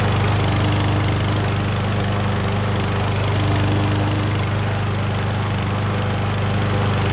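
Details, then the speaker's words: Certified push mower from Canadian Tire, after a missing oil dipstick was replaced and fresh oil and gas were added. The single-cylinder engine holds a steady, even beat with no stumbles, knocks or surging, and there are no leaks at the dipstick: normal running. "so she's running like a top I don't see any leaks at all out of the oil dipstick there"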